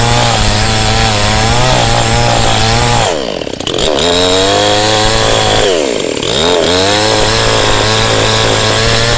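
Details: Cheap model 5200 two-stroke chainsaw with small chain and bar, cutting wood: loud steady buzz bogs slightly and recovers as the chain bites; strong even pull, no power loss, normal cutting.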